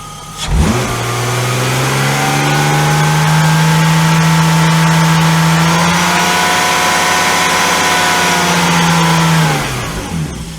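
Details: BMW E34 with S52 engine swap, after fitting different camshafts, mic placed near the engine: smooth steady hum climbs, holds and settles with only light even valvetrain tick, no knocks; healthy S52 with normal valvetrain noise.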